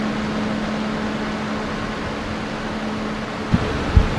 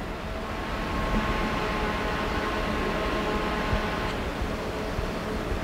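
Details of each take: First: 12V solar shop cooling fan after swapping a 3D-printed hexagonal grill for a circular wire mesh grill, mic right up close: soft, steady low hum with no rattle or tick; runs quietly with improved airflow. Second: 12V solar cooling fan with 3D-printed hexagonal mesh grill, microphone near the grill: steady hum with fixed pure tones over airy rush; suspected blade-pass tone from blades chopping hexagonal air columns, later reduced by a circular wire grill.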